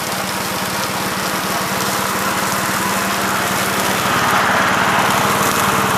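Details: 1969 Gravely C8 walk-behind tractor, single-cylinder engine fired up in the morning after repairing its no-high-range fault (worn ring found): steady, even putter around 220 beats a minute, no misses or knocks; running smoothly.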